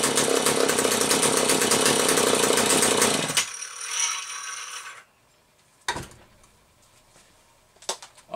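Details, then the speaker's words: McCulloch Pro 10-10 chainsaw after repair of a bad cylinder and a dented oil pump gasket causing a vacuum leak, good compression: crisp, even high-revving buzz for three seconds then clean drop-off; runs healthy and oils well. "This engine that's on here has plenty of compression. So, let's have a listen."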